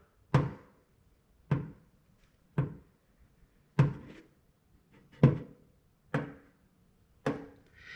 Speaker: Take away your vent cover, and what you would hear with the different noise, it would sound something like this. This is an oil canning sound.